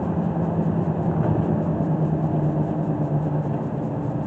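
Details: 2014 Toyota Sienna V6 van on a road test after new front brake pads and rotors: steady low road rumble and even tyre hum from worn, formerly overinflated tyres, with no squeal, scrape or grinding under braking; brakes sound normal and smooth.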